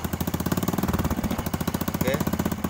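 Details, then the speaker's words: Honda Supra 125 after reboring and new original piston replacing one worn at the skirt that caused hard knocking; quick, even exhaust pulses at idle with no knocking, engine now running smoothly. "suaranya sudah halusnya teman-teman"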